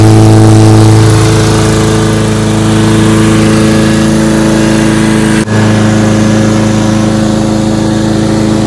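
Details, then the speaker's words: Husqvarna lawnmower after blade replacement and tune-up (recent spark plug kept): steady, even single-cylinder drone at constant speed with no misses, knocks or surging; runs much better than before, normal running. "well as you can hear it runs much better now than it did"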